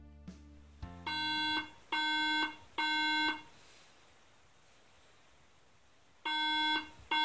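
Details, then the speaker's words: Mac startup: three clear even beeps, a pause, then repeating; three-beep error code meaning RAM failed the data check. "one beep would mean no Ram has been detected three beeps would mean ram has failed the data check and nine Beeps in an SOS style would mean the firmware has been corrupted"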